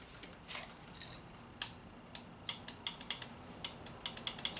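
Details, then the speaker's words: 2006 Honda Civic EX front passenger power window stuck up: sharp dry irregular clicks, louder now, with no motor hum or glass movement; window motor is bad and the regulator needs replacing. "clicking a lot louder now all right I'm convinced needs a new window regulator the motor's bad"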